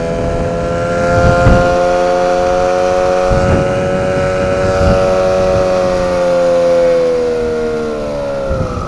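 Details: Engine rated 9.8 under load: a clear, steady high whistle over the motor's drone with slight pitch drift; suspected brakes, source not pinned down.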